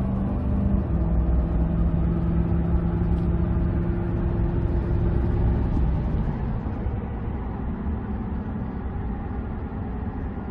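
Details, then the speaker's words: Ford truck after differential bearing repair, cruising on a smooth road: only steady road rumble and knobby tire hum, no axle noise accelerating or coasting. "let's listen nothing both accelerating and coasting that's awesome just entire noise got big knobby tires on here that's it"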